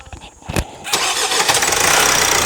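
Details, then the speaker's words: Opel Astra J 1.6 CDTI after timing chain replacement: short crank, quick catch, then an even diesel idle with steady clatter and no chain rattle. It runs normally, and some noise at first start is said to be normal. "Hallettik Arkadaşlar şimdi sesimiz normal"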